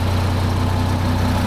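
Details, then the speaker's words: 1975 Peterbilt 359, Detroit 12V71 V12 two-stroke diesel, restarted after sitting about 15 minutes to check fuel prime: starts without the out-of-fuel stumble, deep even idle, slight slobber, no blowby; normal idle. "wow that's what we're looking for no stumble I was waiting for that like out of fuel stumble Bo that's running"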